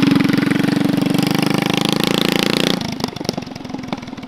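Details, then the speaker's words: Predator 212 single-cylinder mini chopper with near-open straight pipe, first run: buzzes hard at high revs then drops into loose, uneven firing as it cuts out at wide open throttle; owner suspects it runs lean, carburetor needs adjusting. "If you wide open throttle it, it does like fuel cut. It runs lean most likely. So, we're going to have to adjust that car."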